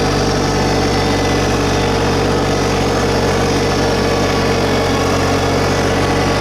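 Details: 2022 LS MT125 compact diesel tractor, about half an hour on it, just fired up at raised idle: steady, even diesel drone with firm low thrum, no knocks or misses; sounds pretty good, normal idle.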